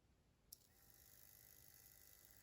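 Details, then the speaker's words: Lakewood HV-4 fan after shipping damage cracked the rear bearing housing, motor tilted forward: quiet steady whir, soft even hum, no rubbing; runs freely, but locks up when tilted as rotor shifts back and hits stator. "it works just fine but as soon as you tilt it it locks up"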